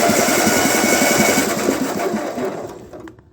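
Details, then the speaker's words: 1948 Ford 8N tractor engine, cranked with the head on while stuck intake valves are freed with spray: a fast mechanical clatter at about 3.5 beats a second that winds down; cylinders 1 and 2 are freed, 3 is starting to return, and 4 is still stuck. "now we got to work on three and four and you can see number three is starting to return a tiny bit"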